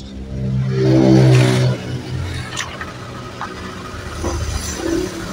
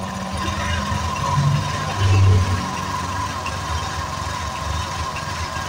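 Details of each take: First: Honda Vario 125 KZR (bulb-headlight version), kick-started: catches with a loud burst, then a thin, wavering idle that barely holds. It dies when throttled, and a test reading is about 20 against a standard of 40–42. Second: Honda Vario 125 KZR scooter that died when throttle was opened, with the reading risen from about 12 to nearly 40: it starts, idles steadily and revs cleanly without stalling.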